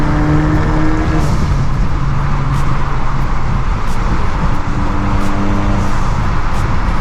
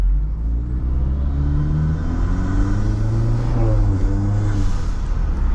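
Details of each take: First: Modded Acura RDX turbo before high-flow cat and resonator install: loud, steady, buzzy low drone with a rasp on top; exhaust sounds coarse and droning. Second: Modded turbo Acura RDX after installing a high-flow cat and a resonator: a deep, smooth exhaust rumble rising and falling with revs; the raspy weed-whacker buzz is gone and the car is quieter.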